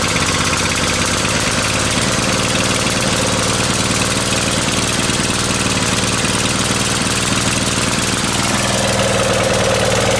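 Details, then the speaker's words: Briggs and Stratton 550e pressure washer engine: loud steady idle with slightly uneven lumpy beat, gasoline visible; running way too rich, possibly because main jet was bored out too far; new main jet insert to be ordered. "okay so obviously it's running way too rich now with that uh with that whole board out"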